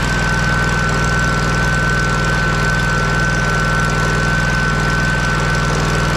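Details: Kohler CH750 twin in a Miller Trailblazer 302 AirPak welder, first start after repair including ignition magneto gap setting at flywheel: steady, even idle with smooth regular beat, no misses or knocks; healthy, best it has sounded in ages.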